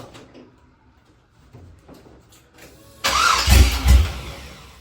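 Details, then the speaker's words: 1966 Chevy C10 with a freshly installed LS1 V8 swapped in for an LT1. After the fuel pump primed, it gives a brief crank, catches and settles into a steady idle with no knocks or misfires. A normal first start with no fuel leaks. "okay it's good sound so let's see if it starts should fire it up there we go"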